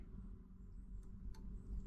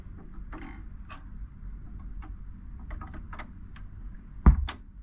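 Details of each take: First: Marantz 6100 turntable after fixing the popping noise: low, quiet speaker rumble with only two faint ticks as the motor engages and clicks off at runout; no pop, grounding connector hooked up. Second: Marantz 6100 turntable: soft clicks as the tonearm returns to its cradle, then a pop/thump through the speaker as the motor shuts off; suspected culprit is the 0.047 µF 125 VAC capacitor on the motor; there is no muting circuit.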